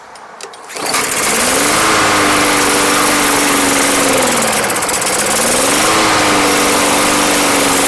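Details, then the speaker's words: Barely used Yard Machines lawn mower bought not running, started after Seafoam was added to the fuel: it catches into a loud steady run, speed sagging and recovering once, then evens out and clears up a lot. "Alright, so originally I was going to leave this run and go sell the blower. It actually cleared up a lot."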